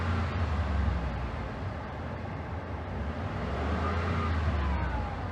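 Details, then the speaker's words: 2013 Ford F-150 whose high-speed fan kicks on with the A/C: low engine rumble with a thin whine once the A/C engages, gone when the A/C is off; failing compressor to be replaced. "what you're hearing is the compressor all right so let's get a new compressor on there"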